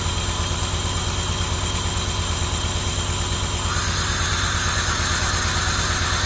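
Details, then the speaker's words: 1990 Camaro RS after 12–13 years sitting, new fuel pump and new plugs, plug wires corrected to firing order, timing not yet set: steady even idle with smooth regular beat, no knocks or misses; normal idle. "gunk in there but after 12 years that he sounds pretty damn good"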